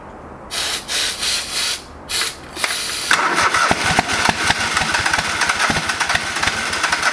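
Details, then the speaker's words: Old lawn mower, brake cleaner sprayed into carb: several cranking bursts, then catches and runs ragged with uneven popping that never settles; old bad gas, fuel starvation, fuel pump or lines suspected. "oh that gas is terrible oh i didn't get it run but you need to figure out why it's not running right"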